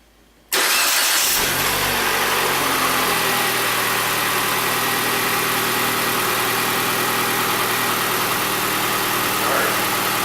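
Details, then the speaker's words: Ford Fiesta first start after clutch replacement, out of gear, everything reconnected; cranks briefly, catches cleanly, drops into smooth steady idle without ticking or misfire; normal start and idle. "I'm not gonna try putting it into gear or anything I just want to make sure it makes certain start"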